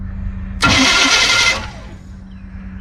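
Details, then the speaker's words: 1952 GMC 1-ton dually farm truck being revived after rescue, first cranking attempt: a harsh metallic grind flares for about a second as the starter engages the flywheel, then fades; starter grinding, suspected to need shimming. "all right I'm going to roll it over a little bit more that starter is making a lot of noise sounds like it needs to be shimmed"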